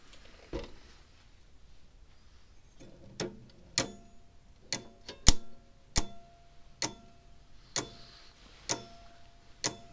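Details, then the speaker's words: Old Sears mechanical electric fence charger after spraying the contacts with contact cleaner: sharp regular ticks about once a second with the odd crackle on some beats. It works, but the points are dirty and arcing. "i can hear it working down there every once in a while those those points need to be clean but still enough to make it work"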